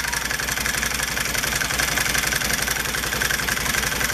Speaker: when a clutch gets old it rattles like a son of a listen to it hear that clattering that's that noise that we all hate